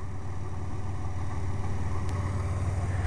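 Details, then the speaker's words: GMC truck running on wood gas from a gasifier, with the injector fuse pulled, the wood gas valve fully open and the air valve adjusted for mixture. Smooth, steady idle that sounds like it is on gasoline, and it revs well; the owner suspects it may be lean. "so far it is actually just sitting here running it sounds like it's running on gasoline and I can give it some gas and you can hear it sounds like it's running good"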